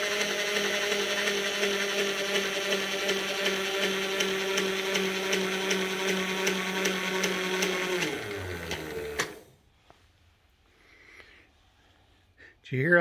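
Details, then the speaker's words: Bridgeport mill, servo 150 power feed running the table all the way out: steady motor hum with ticking drive, pitch sags near end of travel as the motor labours under load at a worn screw with slop. "motor started getting under more load there's the screw right there"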